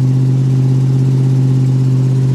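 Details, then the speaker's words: Car just after cold start at 11 degrees, warming up: deep steady drone with even firing, no knocks or ticks; surprisingly strong start, oil pressure over 90 psi. "I'm honestly surprised that this thing fired up like it did. I didn't think that was going to happen. Woo! Listen to that."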